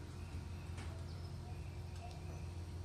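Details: 1966 Impala, Chevy 350 V8 with Turbo 350 transmission, first start in 22 years: deep, low rumble at steady idle with an even beat and no knocking; running.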